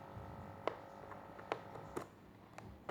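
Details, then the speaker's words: Aquarium air pump after repair, reduced from two pump units to one: quiet, low, steady electric hum with a few stray clicks, quieter than before but with weaker airflow. "ทีนี้จะมาลองใช้งานดูเสียบปลั๊กดูเลยเสียงจะเบาขึ้นนะ"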